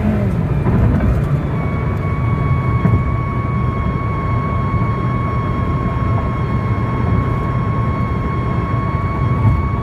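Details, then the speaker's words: At about 120 km/h: a steady high whistle holds over the road rumble. The cause is loose plastic windshield trim lifting and vibrating in the wind, and the fix is trimming or removing the loose trim. "พี่น้องได้เห็นเสียงลึกลับไปแล้วนะครับว่ามันมาที่ความเร็วประมาณ120นะครับ"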